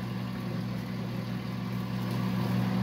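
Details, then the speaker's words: Galanz convection air-fry microwave just after about four minutes' bake preheat: fan kicks on with a steady, even low hum, no rattle or scrape; cooling fan running on normally, perhaps to blow out excess heat. "looks like it's done and I kicked on a fan so I don't know if the fan is to try and blow the excess heat out or what exactly you can hear the fan going pretty good in there"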